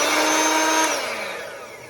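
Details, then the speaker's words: Montgomery Ward Powr Kraft 2-speed polisher sander after oiling bearings, greasing gearbox and reassembly: smooth, steady motor whine with no grinding or rattle, clean spin-down after switch-off; sounds much, much better, running normally. "That sounds much, much better."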